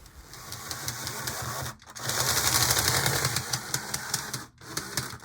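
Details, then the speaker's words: AGM ALCO RS-11 HO model locomotive, after tightening the gear housing with plain slot bearings: sharp, uneven ticking two or three times a second over a low motor hum, gear clicking persists; owner suspects something caught or gears not seated. "okay well there's the clicking again agmo"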